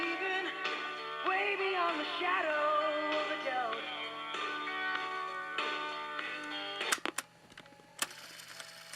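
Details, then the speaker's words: General Electric 3-5027A tape recorder playing music: pitch sags and wobbles as the tape struggles to maintain speed, with clicks; tape speed wow, belt or tape problems suspected. "now you can really hear it it's not it's struggling to maintain speed"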